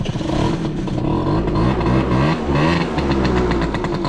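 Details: Honda Topic two-stroke moped just after servicing (engine rebuilt, carburetor tuned, tires replaced, lubricated): it buzzes along steadily with a few gentle throttle blips, no stumbling or rattles; a healthy normal idle.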